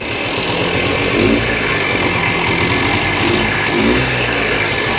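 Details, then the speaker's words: 1965 Montgomery Ward Benelli 125 motorcycle, small single-cylinder, fires right up on the kick after carb jets cleaned and spark checked; holds a steady, even idle with light blips, running cleanly and healthy. "We're able to just clean up the jets on the carbs, make sure we had spark, kick, and then it fired right up."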